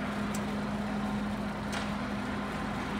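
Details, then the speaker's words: TOS FO-6 mechanical gear hobbing machine (6 module, 600 mm): hobbing head rapid travel, with downward rapid next; steady even low motor hum, no knocks or grinding, no noise reported. Normal rapid traverse. "Rapid travels में भी कोई आवाज नहीं है. ठीक है, नीचे की तरफ रैपिड."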